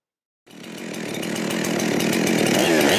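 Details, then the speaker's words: Husqvarna 372XP X-Torq chainsaw, dead saw salvaged with new rings, honed cylinder and lubrication mod; after fitting a later-version carburetor that cured its high idle, it catches and settles into a steady, even low burble about three firings a second. Normal idle. "one of the later carburetors solve the high idle issue completely so I guess that was the takeaway and now it just thought putz along at a low rpm"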